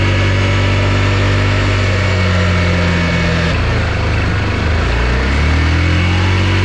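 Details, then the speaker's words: Yamaha Rhino 660 UTV single-cylinder engine, covers off, after blown head gasket work, ridden under load: loud steady thump rising and falling smoothly with throttle, no misses or knocks; runs well, radiator fan on, water pump working, smoke cleared. "seems to run pretty good man this thing is loud though it's like obnoxiously loud"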